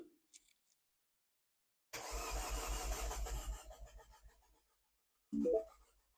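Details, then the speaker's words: Rebuilt Mini JCW engine, first start attempt after cylinder head refit, timing and coil packs reconnected: starter churns about two seconds, slowing and labouring, no firing; cranks but won't start, owner wonders why no spark. "Oh, that's struggling. What's going on there? Why didn't we start? Let's go one more. Sounds like it wants to."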